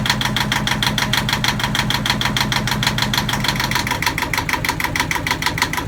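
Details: Yanmar marine diesel on a sailboat at its first start after fresh diesel, new batteries and priming: crisp, even clatter at about three beats a second with no misses, healthy running. It ran about five minutes, then stalled from air in the fuel lines.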